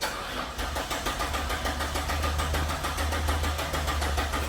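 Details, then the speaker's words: Abandoned 1992 Citroen XM with PRV engine, wires repaired, cranking after long sitting: steady starter churn about one beat per second, even compression, no firing; fuel pump suspected, unconfirmed. "Got compression. Okay. My guess is probably the fuel pump. Right, just from sitting."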